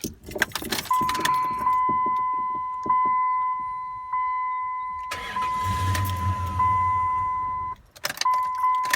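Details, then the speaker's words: 2003 Dodge Ram 1500 5.7 Hemi that died after a stop, fuel tank found empty: over a warning chime it catches for about two seconds, runs rough, then shuts off; fuel starvation. "So it kind of shuts off. Kind of goes and shuts [Applause] off."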